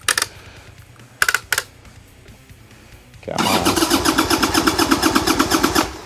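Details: 1990 Harley-Davidson Sportster 1200 stored 10 years, with old gas drained, a swapped battery and new plugs: short cranking bursts, then it runs roughly a couple of seconds and dies. Owner suspects lack of fuel.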